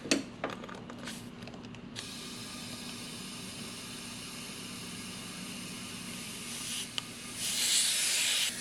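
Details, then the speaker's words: Mitsubishi Evo with AGT Red engine swap, leak test: quiet, then sharp steady hiss swells as pressure builds, air escaping at an intake pipe clamp needing repositioning. "this guy's leaking right there so I'm going to throw this guy back on see if I can reposition it into a better um well I guess position or make the clamp a little bit cleaner"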